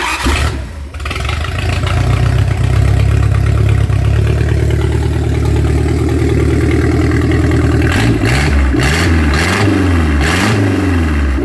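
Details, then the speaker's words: Rebuilt Mercruiser 3.0L from a 2006 boat on new gas, restarted: cranks, catches, settles into a steady low idle, then a few clean throttle blips. It pulls up smoothly and runs better on the carburetor. "Running better already on the carburetor."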